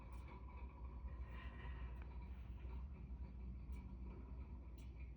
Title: Steam convector making noise.